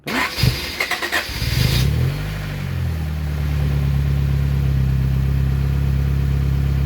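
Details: Euro-R-swapped Honda Accord, sitting 17 years, with no alternator belt, cooling or power steering: after priming, a quick crank catches cleanly and settles into a steady, even idle with no misses or knocks. Normal start and idle.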